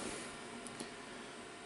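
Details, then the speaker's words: Amiga 2000 after PSU clean and new fan fitted: only a soft, even hiss with no rattle or roar; power supply fan running much quieter than before, smooth and normal. "not sure if you can hear it but it's much quieter than it was"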